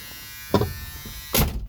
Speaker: So when you put the key in there, makes that sound